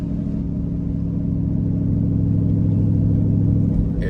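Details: GM 5.3L V8 (2011 GMC Sierra / 2012 Chevy Tahoe), right after plugging in an $85 OBD2 AFM/DFM disabler while driving. Deep, even rumble at light throttle with an unbroken beat, staying in V8 on all eight cylinders.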